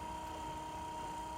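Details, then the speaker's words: 1984 Jaguar XJS wiper motor, repaired and bench-tested on a battery on the high-speed pin; quiet, steady constant-pitch hum, not binding or straining, running normally. "and the motor sounds good it's not uh it's not binding up or making any kind of straining noises or anything"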